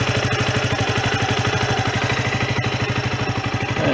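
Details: Sinnis Bomber 125 (Suzuki GN125-copy engine) after service with air filter, oil, oil filter, and new exhaust and gasket: steady, even single-cylinder thump at about three beats per second, no exhaust blowing or ticking. Normal idle.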